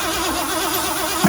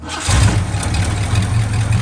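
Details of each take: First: 1979 Ford F350 dually, 400M small block, auto, after about 22 years sitting, cranking with spark plugs out and key off: steady airy whistle over even cranking, good compression; blown exhaust manifold gasket, stops when covered by hand, passenger exhaust plugged. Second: 1979 Ford F350 dually, 400M small block, automatic, revived after sitting about 22 years: even V8 beat with no misfire for about ten seconds, then it runs out of fuel. The earlier fault was a plugged exhaust, not a stuck intake valve.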